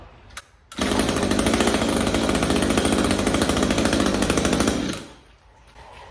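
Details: Echo SRM string trimmer with HiPA replacement carb kit, restarted on first pull after swapping the off-brand Savior spark plug for a new NGK: fast, crisp two-stroke buzz holding steady about four seconds without stumbling; runs cleanly.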